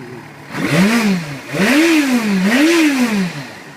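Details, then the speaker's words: 2008 Yamaha FZ6 with about 6,031 miles, maintenance kept up to date: three clean throttle blips, revs rising and falling smoothly back to steady idle, no knocks or rattles; healthy engine. "I'll turn it on for you. So it turns right on. Transmission's great, clutch is good."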